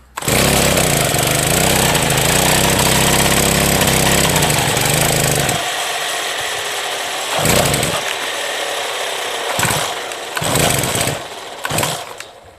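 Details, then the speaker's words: Brush cutter (motokosa) after winter storage, fresh fuel, primer pumped, hard starting since autumn: catches and runs rough about five seconds then dies; further pulls give only short sputtering bursts — hard starting and rough running. "Після зими таке часто, хоча скажу, тут конкретно цей цей ще підлючував з осені, то він ще тоді тяжко заводись."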